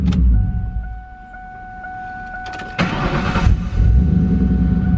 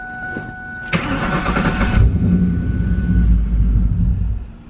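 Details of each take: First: Project car "Turdzilla" on jack stands after fuel filter replacement for progressive start and stalling problems: chimes, then the starter catches and it settles into a steady even idle. No stalling, no fuel leaks. Normal start and idle. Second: Ford Mustang project car "Turdzilla" on jack stands, first start after replacing a suspected bad fuel filter with the fuel system empty: short cranking, low uneven rumble that never catches; owners suspect air in the line. Cranks but no start.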